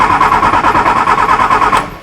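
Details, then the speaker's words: 1966 Austin Mini Cooper S that quit suddenly at about 70 mph, cranked with a spark tester inline: the starter churns evenly but the engine never fires and the tester shows no flash, so there is no spark; a dead ignition coil was then replaced. "i looked back at the video and saw there was no flash here so that means that we're not getting any spark to the spark plugs"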